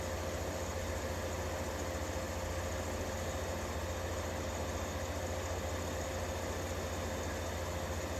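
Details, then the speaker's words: 1953 Fedders Weather Bureau vintage window air conditioner, Tecumseh S-series 1/3 hp R12 compressor; constant, even low hum with a steady pulse, no knocking or rattles; normal compressor running. "Just listen to some nice Tecumseh S-Series noise for a minute or two while I go get the watt meter."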